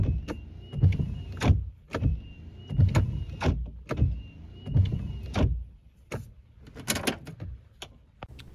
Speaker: hello in this video I'm going to be reducing or eliminating wiper blade noise even though a wiper blade may be in good condition or even in brand new condition the wipers may still make noise